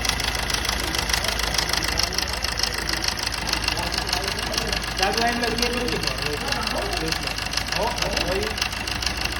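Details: Suzuki Swift diesel idling with a fairly regular light knock, a bit over two per second, over the clatter; engine knocking noise, cause not pinned down.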